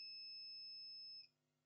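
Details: Acer Aspire E1-571 laptop with no power; continuity check on motherboard near charging circuit gives a clean steady high beep just over a second: first MOSFET shorted.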